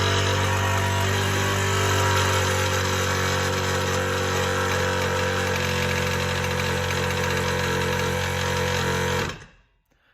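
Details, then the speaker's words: Air Zenith air-ride compressor, fairly new, running with a loud harsh steady clattering knock until shutdown; owner suspects a failed piston rod bearing, before teardown. "all right everybody today we're gonna be pulling apart the compressor for my air ride because it's making some pretty wicked noise"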